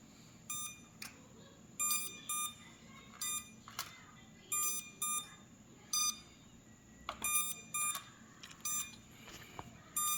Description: Can anyone please help me figure out why my F31 drone blades are not spinning? It just keeps beeping.